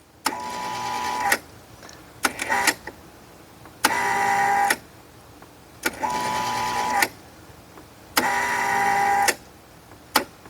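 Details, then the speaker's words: Kustodian Plus bowling lane machine squeegee up/down motor: whirs in roughly one-second bursts that cut out abruptly, enable relay clicking; intermittent running caused by a poorly patched, taped wire splice. "Sticky. Didn't run. The motor's trying to run. I can hear it try to turn."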